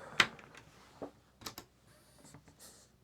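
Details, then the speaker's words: PlayStation 1 CD-ROM drive after servicing and cleaning, top cover off: barely audible, only a few soft ticks and faint whirr, no grinding or buzzing; normal quiet operation. "ah much better in fact you can probably hardly hear it which is exactly as it should be"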